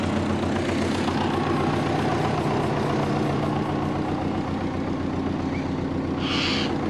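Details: Compound twin-turbo Subaru Forester warming up after drain and heat shield work; idle sits noticeably fast with even pulses and faint hiss, owner suspects a vacuum leak as it also misses boost targets; high idle.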